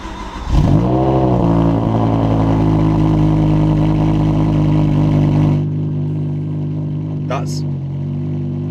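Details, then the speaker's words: BMW M6 V10 that had rough cold starts and an engine light, cold start after repair: catches cleanly with brief flare then settles to smooth steady idle with no rev fluctuation; much improved. "That is way better. No rev fluctuation whatsoever, just a little bit of, I just want to hear it."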